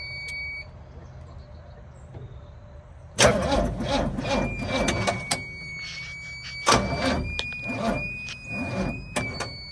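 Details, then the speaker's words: 1966 Chevrolet C10 carbureted engine, first start attempt with choke and no fuel reaching the carburetor yet: short, uneven, sluggish cranking bursts with a thin whine, never catches; they suspect too little battery power. "I don't think this thing's got the juice to bust her off."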